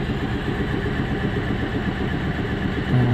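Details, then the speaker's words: Renault Kwid petrol engine at idle with check engine light flickering: uneven, lumpy stumbling beat and vibration; scanner showed misfire code for cylinder 3. "ये मेरा problem है कभी ए रहा है कभी जा रहा है और मिसिंग कर रहा है की क्या प्रॉब्लम है मेरा गाड़ी मिसिंग कर रहा है"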